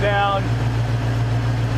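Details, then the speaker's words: Cougar after fixing a major misfire, idle settled down: low steady even hum with no misfires, pops or skipped beats; runs smoothly, sounds really good. "I don't hear any misfires. I don't hear any popping. Hey, that's a thumbs up for me. It actually sounds really good."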